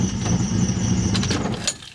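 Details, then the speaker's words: K-swapped BMW E30 after correcting ignition timing: slightly uneven, lumpy idle; running much better but still very rich, owner thinks the remaining issue is tuning. "in here the car is still running really rich so I think that now it is just a tuning issue but um the actual timing looked right on point"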